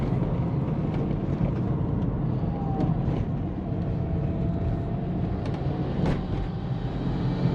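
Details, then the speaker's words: Subaru SG XT Forester flat-four after an oil change and fitting an older intake and new filter, about 10 km driven: deep, even rumble with steady pulse, no misses or knocks; normal running, idling better. "Oh guys, that's it. She is running a lot better. She's idling good."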